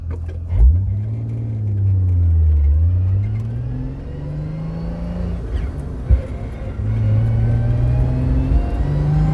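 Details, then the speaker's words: 1977 Toyota Celica RA28 with stock diff and gearbox (possibly T50/W50), recorded in the cabin while driving: high-pitched whine on throttle, easing when cruising, from the gearbox or diff. The diff and gearbox driveshaft seals were being replaced, and more damage was found. "It's quite high pitched. Every time I'm on the throttle a little bit, it just whines like crazy."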